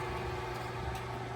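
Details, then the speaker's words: KTA 2.0 radon fan sitting flat on a conference table with a clipboard on top, moving only a few CFM; loud steady drone with low hum and fixed higher tone, fan at maximum working pressure with little airflow, alarm light red after 48 hours. "So there are cases where the fan is moving close to no air, right? We It's moving a little bit, a few CFM you can you can hear."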